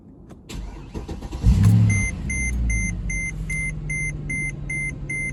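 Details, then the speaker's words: Mercedes ML63 AMG M156 V8, already warm, restarted after custom air intake box and dry-flow filter install, about 300 miles into break-in after head bolt job: dash chimes, then smooth, even idle with no knocks or misses; sounds good. "huh sounds good to me nice and smooth"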